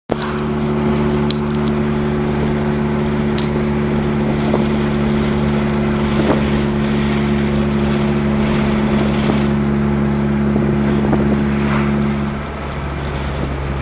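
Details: 2000 Acura EL, stock, petrol engine holding steady speed: raspy, uneven puffing; suspected exhaust leak, not confirmed.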